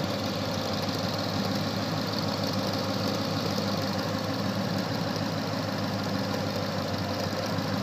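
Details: 2013 Ford Mustang 5.0 V8 idling with a quick, uneven ticking on top, like popcorn popping; the owner doesn't know the cause.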